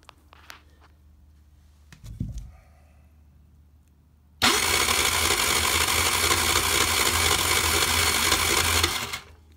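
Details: 49cc scooter with no spark, despite a new stator, CDI and coil and no voltage measured from the stator: a steady, fast starter whirr for five seconds that never fires; cranks but won't start, cause unconfirmed.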